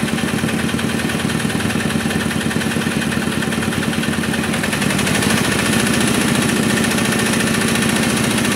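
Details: Kubota RD65DIS diesel after cylinder head service, exhaust fitted, driving a soil/clay grinder for brickmaking: steady thump under load with faint rough, gritty undertone holding with speed; smoke gone, combustion fine, slight rough noise from worn engine gears.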